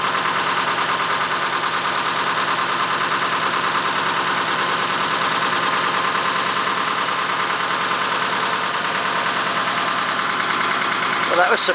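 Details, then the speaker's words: 1941 Ford pickup, stone cold the day after carb and air-filter work and fresh oil: steady even idle, about three pulses a second, no misses or knocks; normal cold idle. "so this is the day after so this is stone cold so let's do it cold start"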